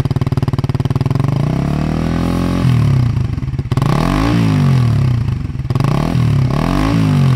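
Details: Suzuki GSX-R150 with aftermarket NOB1 exhaust and custom header, stock ECU; repeated sharp revs rise and fall cleanly with no popping or stutter (brebet), engine pulls smoothly, normal revving.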